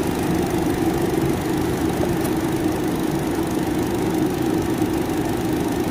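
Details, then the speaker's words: Car at idle after replacing the radiator fan motor, which had wobbled and vibrated badly; even, steady whirr with no squeal, scrape or wobble, new fan running smoothly; fan motors advised to be replaced around 100,000 km. "nah bosku terlihat ya ini sudah diganti dan hasilnya sudah nggak goyang lagi nih sangat halus getarannya ya kayak yang tadi ya yang tadi sangat parah anteng banget ini yang tadi kita ganti"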